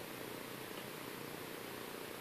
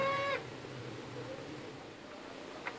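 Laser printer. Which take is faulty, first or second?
second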